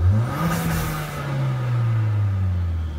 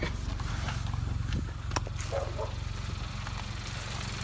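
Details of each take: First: 2017 Kia Soul Turbo with aftermarket intake lacking the recirculation plug: engine revs and falls back with a brief airy hiss on throttle lift as the recirculation valve vents compressed air to atmosphere like a blow-off valve; no check engine light expected. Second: 2017 Kia Soul Turbo at idle after intake install, recirculation valve venting to atmosphere like a blow-off because the piping lacks the recirc plug; steady, even, smooth idle with no misses or knocks; normal healthy idle.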